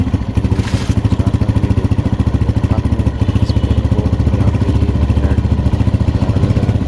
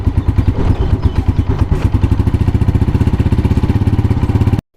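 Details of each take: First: 2022-model motorcycle before repair, engine running, microphone on the engine: fast, even metallic ticking rattle at about three to four beats a second over the idle, the cam pin vibrating. The fix is to be done from the magnet side without opening the cylinder. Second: 2022-model motorcycle after the cam pin noise fix, done without opening the engine: even single-cylinder idle at about nine beats a second with no rattle, then the engine is cut. Cam pin vibration gone and the sound improved.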